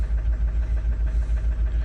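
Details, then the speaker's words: Opel Zafira B 1.9 diesel (about 120 hp): won't accelerate below 2000 rpm, misfires and stalls, no critical fault codes. Lumpy idle with a steady beat about seven per second, like one cylinder not firing. Dead fuel injector; bench test later found faulty injectors. "це означає що це означає що у нас неробоча форсунка треба знімати форсунки І вести на стенд перевіряти або просто міняти"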